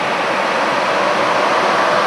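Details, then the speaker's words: Brushless cooling fans at high duty on a CWI Performance G2 PWM controller in test mode, drawing about 35-36 amps: loud, steady rush of air with no ticking, rubbing or wobble; cooling fans at full speed, normal. "So you can hear the fans are pretty loud."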